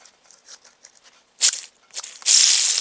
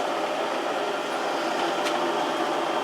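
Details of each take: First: Drill press quill bearings (open type), pressed out because they were noisy and spun by hand: a dry, gritty rasp that swells and fades unevenly, the sound of a rough, worn spindle bearing; new bearings to be ordered. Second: 1 horsepower heavy-duty drill press with new bearings after handle hub repair: steady, even whir with no knocking, grinding or squeal under power; normal running.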